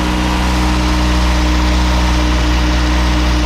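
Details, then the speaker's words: Turbocharged Miata with the engine just reinstalled, with good oil pressure but VVT problems remaining; smooth, even idle with a steady low hum and no knocks or misses, running healthy. "It's running, sounds good. Sounds good. Purring like a kitten."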